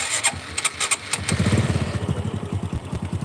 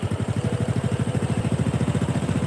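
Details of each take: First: Supra 125 single after connecting-rod repair, start and idle check: starter whirr, then quick even putter with no tick; the former tek-tek-tek noise under throttle is gone; normal start and idle. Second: Supra 125 motorcycle idle being set with the carburettor idle screw: quick, even exhaust pulses of a fast, steady idle set too high. The recommended target is 1,300–1,600 rpm, since too low an idle wears the crankshaft bearings.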